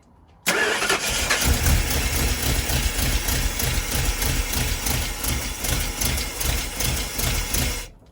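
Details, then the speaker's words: Big-block Ford V8 swapped into a 1977 school bus, at first start: it catches and settles into a slow, lumpy, uneven idle with loping pulses, too low; the owner suspects the ignition timing is off and advances it. "that's really low low idle yeah timing's off so Advance it a little more"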